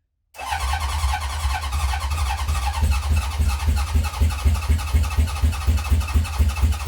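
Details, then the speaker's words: 1970 Honda CB750 K0 first start attempt after decades sitting, on choke with a remote fuel tank: deep uneven thumping pulses about twice a second as it coughs and fires but never catches and runs. Owner suspects fuel starvation and then primes the carbs with a syringe. "Well, we had it coughing and it didn't quite start, so I said I'd tickle the carbs."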